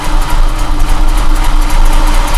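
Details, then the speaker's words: 2004 Ford Mustang just started for first time after fuel pump replacement, temporary battery; steady even low rumble, no misses or stumbles: normal idle. "Come on, baby. There you go. Yeah, buddy. It's alive. Yes, sir. It runs."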